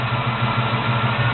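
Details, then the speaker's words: 1972 Chevy Monte Carlo small-block 350 V8 after FiTech Go EFI conversion, warmed up, coolant 168: deep, steady burble with an even beat and no stumble or shake; normal warm idle. "so the car's doing so look no shaking or nothing cars rning good"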